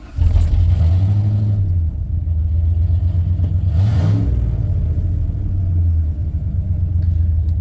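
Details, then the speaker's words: 1994 Ford F-150 V8 after replacing a bad fuel injector (previously shook the cab in low gears despite new plugs): deep, even rumble, smooth rev and return to steady idle, no miss; now running normally. "yeah it's working out it's supposed to all right yeah it's so much better"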